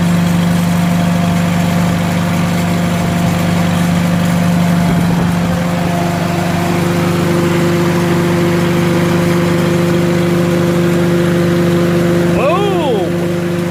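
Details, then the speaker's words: Farmall H tractor engine with new cap and new plugs gapped at .025 in; smooth, steady low idle, even beat, no hunting; sounds nothing like before, problem solved for now, full tune-up still planned. "but I don't know I'm listening to it I kind of like the way it's idling that's not the same engine is what was in the last video that's for sure"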